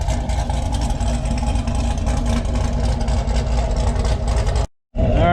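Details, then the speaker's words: Krypton Camaro V8, warming up at idle to charge the battery after sitting dormant. Steady low rumble with an even, unhurried beat and no knocks or ticks. Normal idle. "I'll let the old girl sit here run warm up charge up that battery music to the years anyway"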